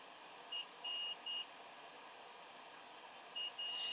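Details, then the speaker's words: PS4 Pro (NVx motherboard) with no disc feed and SU-42118-6 update loop; multimeter in continuity mode, probe on each end of the fuse: short high-pitched beeps in bursts over faint hiss, fuse conducts and is good. "one probe on each shard of the fuse listen for the beep hopefully you'll get one and if you do the fuse is good"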